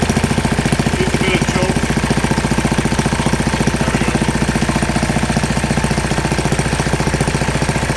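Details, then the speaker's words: 1940 Briggs and Stratton WMB single-cylinder engine, cold, not warmed up, needing more choke: steady even beat about three firings a second with firm low thump; runs pretty good. "I didn't have it warmed up yet. It needed a little bit more choke, but anyway, it actually runs pretty good."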